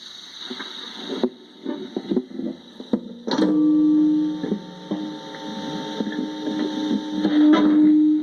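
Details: Tonal whine from a guitar effects pedal: plucked guitar notes, then a steady fixed-pitch humming whine that swells when playing stops; faulty electronics suspected, not confirmed.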